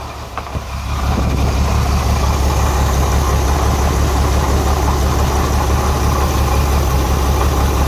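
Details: Renix Jeep Cherokee inline-six cranking, catching and idling with a lumpy uneven beat: cylinder 6 misfires because its exhaust valve rocker moves less than the others (too tight); backing off the rocker bolt later cured the miss.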